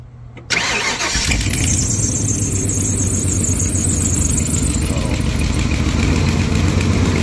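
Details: 1996 Yellowstone RV on Ford E350 chassis: cranks, fires and settles into a rough steady idle with a faint puffing tick from air blowing out a leaking exhaust manifold gasket; owner wonders if it causes heavy shaking under load at 60–80 km/h.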